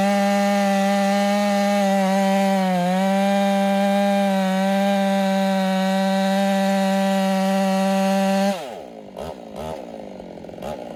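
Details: Ported Husqvarna 385 chainsaw, breaking in, tune slightly rich, cutting very hard oak: a high steady buzz holds its pitch through the cut, barely dipping under load, then drops away, healthy.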